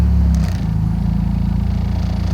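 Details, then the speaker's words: 2000 Mitsubishi Galant 2.4 L after taping a cracked intake manifold, warming up, aftermarket exhaust, in gear under load: revs dip then a steady even burble holding about 1,000 rpm; previously hunting 1,000–2,000 rpm, idle now fixed. "Same thing, good idle. Staying at about 1,000 RPM where it should."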